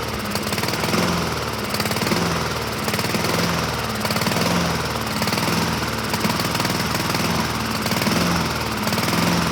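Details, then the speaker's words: 2007 Honda HRR2162SDA Quadra Cut mower, after a stuck-open intake valve was fixed, started on choke and surges, swelling and sagging about once a second instead of holding governed speed. Owner may clean the carburetor again; cause unconfirmed. "so we're not at a hundred percent we're at 80 percent it started we got surging so I got to go back into this thing and look around some more maybe clean the carburetor a second time"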